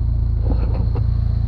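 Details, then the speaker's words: $499 Jeep running: even low thumping four-cylinder idle with loud raw exhaust but no knocks or misses, engine sounds good; brakes need work, calipers suspected stuck. "thing sounds good"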